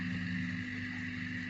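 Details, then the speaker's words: Air pump suspended by its cords inside a large taped jar with air holes, not touching sides or bottom; soft constant low hum with faint higher drone, no rattle or buzzing; pump now runs very quietly and normally. "very quiet obviously the bigger air pump that you've got the bigger container you're going to need"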